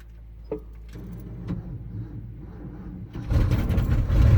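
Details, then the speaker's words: Ford F-250 with 390 engine, 180k miles, unrun about six months, cold Iowa winter, on jump pack: slow cranking with weak coughs, then a ragged lean catch and rough running from a dry carburettor. "let's go ahead and crank it we can run the throttle here maybe get her to light off oh she's pretty sad"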